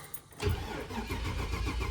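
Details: 2000 Chevy Express van with a crank no-start, cranked during scope testing of the crank sensor. The starter turns the engine over steadily but it never catches or fires. The scanner shows no cranking RPM and a crank sensor out-of-range code.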